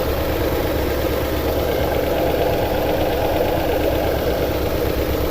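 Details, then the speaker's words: 2009 Toyota Tundra 5.7L V8 at idle with codes P0300, P0305, P0307, misfire counts climbing fast, 4Lo and VSC/traction lights flashing: a steady idle with a ragged, uneven undertone and no clean rhythm, a misfire keeping the idle rough. "these misfires are counting up like crazy so let's see if we can do this let's pop the hood"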